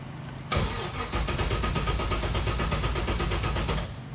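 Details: LS3-swapped Miata with no start: the starter cranks the engine at an even, quick beat for about three seconds but it never catches; the fuel pump runs but the gauge shows no fuel pressure.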